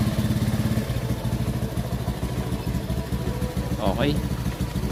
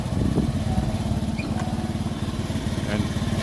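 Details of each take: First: Honda Beat Fi scooter after a scan tool cleared an EOT sensor fault code and the PCM was reset: the small single ticks over at a quick, steady pulse with a clean short blip and no popping or missing. It runs healthy. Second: Honda Beat Fi scooter before repair: a low putter with irregular pulses that stutter and drop out at steady mid throttle, recovering at full throttle. It is misfiring at part throttle.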